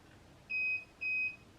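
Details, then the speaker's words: KO Factory Spec controller on a Sur Ron Light Bee MX after a firmware update, with a Soxxon throttle. Two clean, high-pitched beeps follow full throttle at power-on and five twists: the throttle calibration signal. Beeping unexpectedly continued, but the throttle afterward seems more responsive. "Okay. There's the 1 beep. Okay. I don't know why it keeps on beeping, because in the video it stopped beeping."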